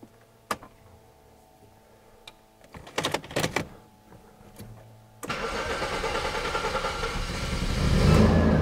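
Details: 1990 Jaguar XJ40 Sovereign start: a few quiet clicks and ticks from the dash as the instruments wake, then a clean crank and catch into a steady rising idle; healthy start.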